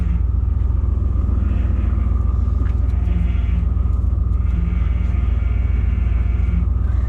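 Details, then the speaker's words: 1995 Ford F350 plow truck at idle: deep rumble with a faint steady whine above it from a failing power steering pump, with steering hard to turn; pump to be replaced. "so problem a power steering pump is you hear the whine but it's really it's hard to turn great in there it doesn't want to turn"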